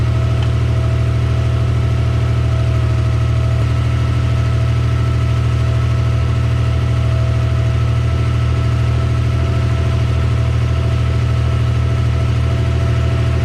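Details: Mazda MX-3 after swap to a JDM KLZE 2.5L V6 with larger 65 mm throttle body, first start: deep even idle pulsing about 158 per minute, no misses or knocks; early slight miss was an unplugged wire, fixed.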